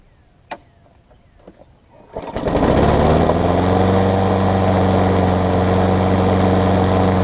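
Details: Craftsman self-propelled mower with a Tecumseh engine, after tightening the loose, backwards blade, a service and a new air filter. A couple of pulls, it catches in about two seconds, then settles into a steady, even beat with no misses or knocks.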